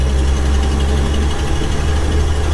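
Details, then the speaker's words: 1966 Ford F500 manual truck, barn-stored 20 years, new under-$100 carburetor working great, no brakes: deep, steady low rumble with even beat, no knocks or misses; engine idles smoothly and healthily. "all right guys we got this thing running it is a blast to uh drive and we're just happy we made it this far uh the new carb seems to be working great"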